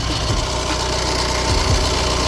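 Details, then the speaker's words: Honda Civic with battery light and heavy steering, aftermarket alternator being tested: loud, busy idle with a dense clatter over the engine note; source not traced, possibly near the turbo or something broken or touching, not there all the time. Engine bay rattle. "The Denso one originally, that's rattling noise, but I'm not quite sure where it's coming from. Sounds like it's coming from run a bit of this turbo."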